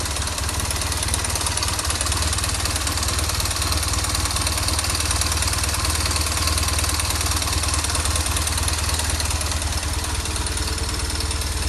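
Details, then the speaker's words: BMW R 1200 R twin-cylinder motorcycle at idle, unchanged by clutch in or out: light steady ticking rattle; opened up, the timing chain tensioner was found not working with a likely loose plunger, and the tensioner was replaced. "грешу на натяжитель цепи грм а так вскрыли вот грм натяжитель вот он башмак то есть он не работает"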